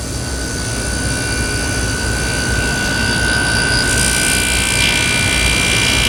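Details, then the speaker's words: Hampton Bay HBQ051A-N 5,100 BTU air conditioner, first run after coil cleaning, fan on high, 70°F ambient; compressor startup gives heavy droning hum with thin high whine, still sounding bad. Cause unknown; condenser works with subcooling. "Still doesn't sound too good. I'm a little bit surprised it doesn't sound any better."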